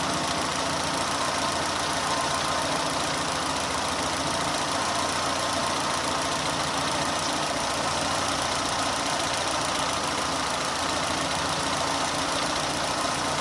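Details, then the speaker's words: Renault on LPG at idle after replacing noisy 3-ohm gas injectors with 2-ohm injectors, leak-tested with foam: ticking gone, steady smooth idle with faint airy hiss; normal idle. "Evet arkadaşlar enjektör sesi bayağı bir kesildi yani o şıkırtı sesi yok şu anda herhangi bir LPG kadar söz konusu değil"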